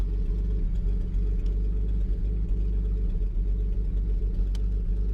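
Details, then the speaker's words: 1949 Chrysler Windsor sitting since the 1950s, revived: deep even low rumble with steady beat, no knocks or misses; old engine running smoothly. "is this crazy starting up like that oh man this is running good"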